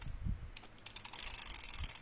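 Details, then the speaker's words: Used Shimano Bantam 1000L (BC-18) round baitcasting reel turned by hand gives light, fast, regular ticking with no grinding or catching; it turns smoothly and sounds healthy. "ก็หมุนด้านหน้ามีเสียงแบบนี้เลยครับ"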